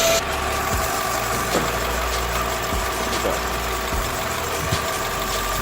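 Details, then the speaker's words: Nissan Altima engine idling at about minus 23 degrees, power steering now quiet with no whine, just smooth low hum and faint thumps, after topping leaking, foaming power steering fluid with Marvel Mystery Oil. "Right, so as you can probably hear, it's really quiet now."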